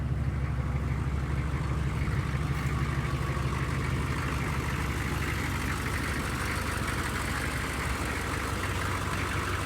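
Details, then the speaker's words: 1995 Chevy 6.5 diesel pickup, restarted after glow plugs following about 20 hours sitting: deep, steady diesel clatter around three beats a second with a smooth, even rhythm; healthy idle. "okay it is that is pretty much the way it started when we first got this thing running"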